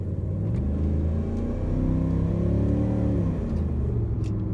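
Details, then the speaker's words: 2003 Dodge Ram 1500 on a road drive after new rear shocks and a rear differential rebuild with gears set using a dial indicator. A low drone rises and eases with speed, and the earlier axle howl is gone. The rear differential is quiet. "hollowing the hollowing is gone so super excited"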